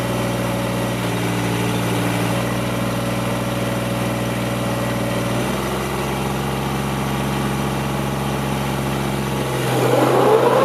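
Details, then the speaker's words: Kubota GR2110 diesel mower after topping up low gearbox hydraulic fluid: settles into a steady, even idle, smooth rhythm, no knocks or misses; running very good, hydraulic deck lift working. "well I have to say I'm pretty pleased with this it's uh it's running very good"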